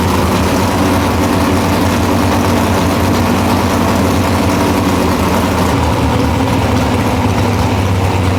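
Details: Nitrous Nova big-block V8 after replacing two pistons (one was found burnt): deep, steady, even rumble holding a constant idle with no knocks or stumbles; sounds healthy.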